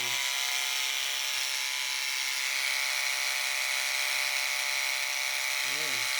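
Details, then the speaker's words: Wahl Lister Stablemate livestock clipper after cam bearing and gear replacement, blade tension five turns back: steady, even high-pitched buzz with no labouring or rattle, blade not even warm; normal running. "and at five five turns back this blade's not even warm at all"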